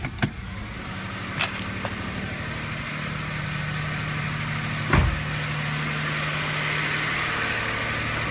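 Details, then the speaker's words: 1999 Toyota Camry Solara 3.0L V6, code P0304 cylinder 4 misfire: uneven chugging under load in gear with irregular lumps in the beat; dead fuel injector measuring 500 ohms versus 14 ohms on neighbours. "might be hard to hear that if you put it in gear put a load on the engine you can hear kind of chugging misfiring"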